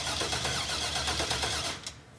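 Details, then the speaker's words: First crank of a rebuilt engine, hotwired with no fuel yet; starter turns it over in quick, even pulses with no binding; engine turns freely, not seized. "this is going to be trying to crank it for the very first time here we go wa that's similar to life wow go again okay it's not seized up"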